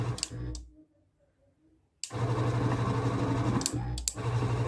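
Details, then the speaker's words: Relay clicks, then the motor hums, stops and hums the other way as a PPA sliding-gate motor control board that only turned one direction now drives both ways after repairing a carbonized trace near the relay; encoder fine. "ver se ele vai girar ó girou no sentido vou parar ver se vai para outro lado foi Agora sim"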